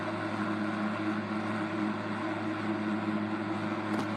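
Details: 1960s Eskimo model 2012 12" box fan running on high: a steady hum with a smooth airflow hiss and no rattle or ticking. Only the medium and low speeds rattle, because the shaft lacks spacers.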